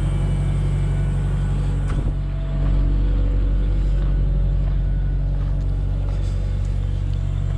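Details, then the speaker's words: Genie S60 boom lift fresh after crank-no-start repair: deep, uneven rumble surging and pulsing; mechanic suspects starting fluid sprayed in earlier made it run rough at first start, not confirmed. "now that it's running it doesn't sound as bad i think they probably tried to spray a bunch of starting fluid in it thinking that was what was wrong with it and uh i think that's why it sounded so rough when it first started up"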